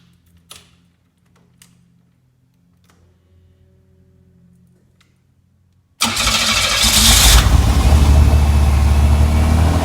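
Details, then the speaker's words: Kit car replica on 1986 Fiero GT chassis, after replacing a valve to cure high idle, in neutral or park; engine fires and holds fast steady idle around 1600-1800 rpm on tach, still too high; high idle. "Looks like the tack is still riding high. We're looking at roughly around, I don't know, it looks maybe between 16 and 1800, which is still too high."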